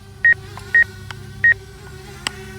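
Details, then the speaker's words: Hubsan Zino Mini Pro drone in normal mode near an obstacle: quick high double beeps of the obstacle-avoidance proximity warning over a faint hum, but the drone isn't stopping. "okay let's back it up and let's go back into normal mode and you can hear it beeping but but it isn't stopping"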